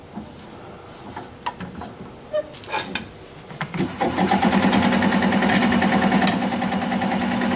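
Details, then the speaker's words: Wood lathe turning an odd-shaped cherry plum bowl blank: a rhythmic scuffing about three times a second over the motor hum, because the tool rest is unintentionally rubbing the spinning blank. "That noise you hear is because it's I have the tool rest rubbing on this. Not intentionally, but it's okay."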